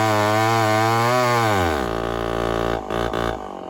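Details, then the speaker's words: Homelite 1050 100cc two-stroke chainsaw on 404 chain, first test cut: high buzzing note sags sharply once the bar bites and stays low and rough, bogging under load; owner suspects an air leak. "i'm pretty suspicious of an air leak so we'll find out yeah let's get on with this and see what 100 cc home lights can do in some wood"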